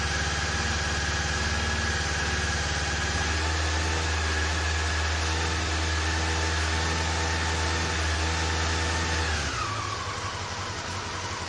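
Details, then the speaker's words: Well-used Honda CB-1 motorcycle, cold start during refurbishment: uneven, lumpy, loping idle, starting on two cylinders before the third and then the fourth kick in, checked by feeling which exhausts get hot; pitch settles near the end. "you could hear it started on two cylinders then the third cylinder kicked in and then the fourth one"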